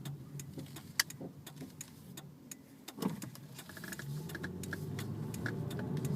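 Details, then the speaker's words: 1999 Toyota Solara SE with 1MZ-FE 3.0 V6 and 4-speed automatic, about 111k miles, pulling away while driving; light clicks then a soft, even low hum with no knock or tick: normal, very quiet engine. "This engine is very quiet still."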